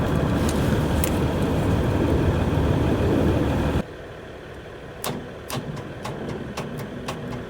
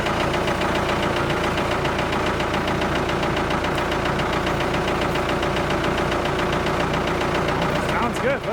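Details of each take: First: Ford 655A backhoe, abandoned, cranking cuts out then weak slow turnover pulses that don't catch after wiring work; owner thinks battery too low, slow cranking. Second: Abandoned Ford 655A backhoe diesel just started after sitting, idling in neutral: crisp, even clatter with no misses or hunting; sounds real good, healthy idle.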